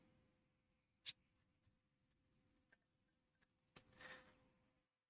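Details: PlayStation 2 SCPH-39004 with a disc drive problem, after lens cleaning and rail/gear greasing, retested: quiet start-up, faint steady hum, soft ticks, no grinding or repeated clicking; disc loads fairly quickly, normal.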